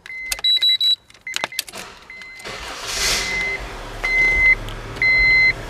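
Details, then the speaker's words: 1999 Honda CR-V 2.0L that stalls intermittently at stops or low speed, engine running: warning chimes and relay clicks cut out and return as the ignition switch housing is wiggled; worn ignition switch contacts cutting power. "and see how I can just see how it shuts off, and you can just move it a little bit, you can hear everything going off and on."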